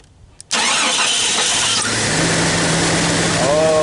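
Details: Jeep Cherokee that would not crank, with the starter fed 12 volts directly at its small terminal: the engine cranks at once and settles to a steady idle. The starter and battery are good; an ignition switch fault is suspected.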